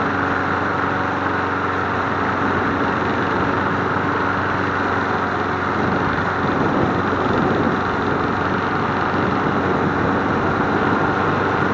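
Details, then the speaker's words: MTD Bolens push mower 11A-414A065, revived and cleaned, started after priming three times to warm up before an oil change: small single-cylinder engine holds a smooth, even buzz at steady speed, no surging or knocking; running normally. "It sounds good. What do you guys think? I think we have a winner chicken parm dinner."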